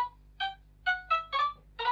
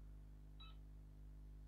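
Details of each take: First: Sega Mega Drive II after a piece of metal is removed: the game plays crisp, clean chiptune sound with no buzz or crackle, so the audio is fixed. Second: Sega Mega Drive II that had a black screen, switched on after the cartridge slot pins are cleaned with isopropyl alcohol: a short high beep over a low mains hum.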